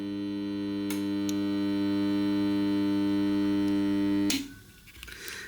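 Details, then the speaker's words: Whirlpool dryer heat-pump compressor, panels removed: loud steady mains hum for about four seconds with no run-up, then a click and silence; power reaches the compressor but it fails to start, start capacitor needs replacing. "there is power to the compressor but it doesn't start and therefore we know that when it makes this noise the compressor doesn't start the capacitor needs to be replaced as I told you before"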